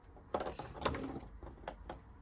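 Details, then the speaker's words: Elddis Majestic 155 fridge switched to gas, ignition button held: sharp uneven ticks a couple of times a second as the spark igniter clicks until the flame lights; may take several attempts if gas was off; normal. "you hear it ticking in the background it may take a few attempts if you've had the gas turned off"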